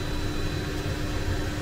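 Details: Cessna Citation CE-500 jet engine after battery start: steady even turbine roar with constant high whine, no surging; normal idle.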